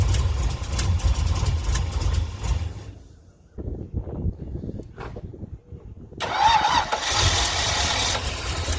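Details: 1963 Ford F100 Y-block V8 with newly installed Holley 2300 carburetor, Patriot headers and Cherry Bomb mufflers, radiator not yet fitted: runs smooth, drops briefly, then picks up with a crisp rev and steady burble; normal idle and revving.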